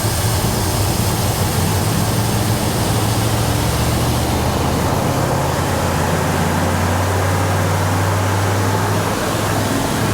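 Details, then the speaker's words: Ford F100 engine freshly started, with no coolant yet and idle not yet set: loud, steady drone with an even low beat, no misfires or knocking; normal fast idle. "so as this thing's idling up I need to make sure that uh the idle's set right but I just want to make sure that it runs"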